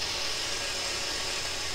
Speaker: Really nothing coming through. I can hear the mishmashes of FM stations just breaking through everywhere, unfortunately.